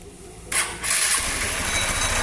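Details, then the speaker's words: Honda Bros 150 motorcycle engine running with a metallic, bell-like jingle like a gas-delivery bike's bell; engine opened showed the shaft end damaged and crankshaft misaligned, making the kick-start gear vibrate and ring. "Olha que barulho estranho, velho. Parece aquelas motos lá que os caras entregam gás com aquele sino lá."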